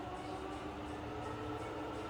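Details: Fully rebuilt Bridgeport milling machine, variable speed head stepping between about 500 and 1000 RPM in high range with quill engaged: quiet smooth hum with soft steady whine, no knocking, rattling or grinding; normal spindle running.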